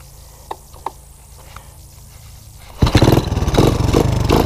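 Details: 1984 Honda ATC 200ES revived from low compression, semi-warm start on choke, riding in third low range; quiet at first, then a steady, throbbing single-cylinder beat under load, sounding healthy.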